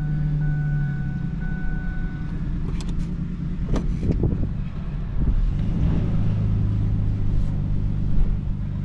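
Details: 2004 Ford Ranger Tremor after AC compressor replacement, driving: steady low drone with no knocks, clunks or whines; normal healthy running.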